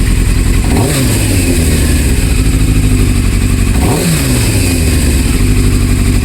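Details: 1998 Yamaha Thundercat 600R (YZF600R) after new throttle cable fitted and adjusted: two crisp throttle blips about three seconds apart, revs rising and falling cleanly back to a steady idle; engine sounds healthy.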